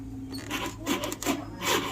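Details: Motorbike/scooter won't self-start: dashboard lights go out on each attempt and short scraping rasps repeat about every half second with no catch; owner suspects a dead battery.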